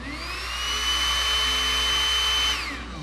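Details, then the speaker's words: Rotary brush after replacing its broken fan blade and clearing a blockage at the drilled hole: small motor spins up to a steady high whir with airy rush, then winds down smoothly, running normally. "Aí, tá rodando perfeito, galera."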